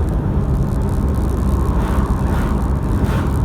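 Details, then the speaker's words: Toyota Hilux diesel after injector replacement, road test accelerating from a left turn to about 60 km/h: steady low rumble with no injector rattle or knock over road noise; normal, quiet diesel running. "i've just accelerated this high lux from turning left to about 60 kilometers an hour and i don't hear a rattle at all whatsoever"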